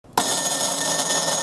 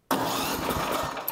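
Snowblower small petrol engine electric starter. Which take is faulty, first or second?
first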